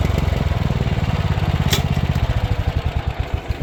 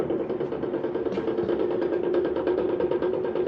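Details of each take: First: Power King stump grinder after replacing failed cutting-wheel bearings, grinding a stump with freshly sharpened teeth: firm engine drone pulling down as teeth bite wood, no knocking from the wheel; clutch growl normal; running smoother. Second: Power King stump grinder with belts off, its grinding wheel turned by hand. Rough, gritty grinding rumble with uneven knocking from the worn front bearing, and slop in the outer bearing; both bearings need replacing.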